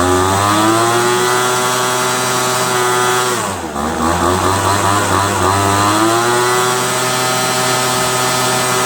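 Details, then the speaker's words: Craftsman 25cc leaf blower with new fuel lines, a replacement torn diaphragm, and a cleaned carburetor adjusted for 35–40 minutes. It runs with a steady high buzz, dipping and recovering cleanly, and idles well. Normal running. "that's about just as good as you're gonna get this thing to go 25 cc's old craftsman idles really well you can hear the kind of the sound of how the gas air fuel mixture should be simply that sound pretty good pretty satisfied"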